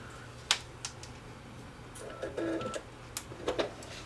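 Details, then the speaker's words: Sony RDR-HX750 DVD recorder with a scratched disc: scattered clicks and a brief whirring spin-up, more clicks, never loads, then ejects; disc read failure with repeated seeking. "and that's apparently all it does it just sits there and goes it never loads"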